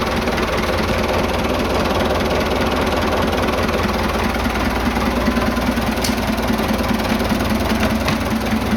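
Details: Vintage "77" diesel tractor that had no start from an empty tank. Once refuelled it fires right up and settles into a steady, even idle clatter with no misses or knocks.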